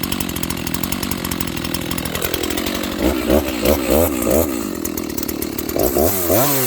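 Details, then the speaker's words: Dolmar 7300H chainsaw cutting at full throttle with the high-speed jet turned out as far as it goes: high thin wail that sags and surges under each cut without burble; sounds a little lean. "So it's a little lean. Okay, friends, again, this thing, the high jet, is turned out as far as it'll go. And it sounds a little lean to me, so I'm gonna make a few quick cuts, but that'll be that."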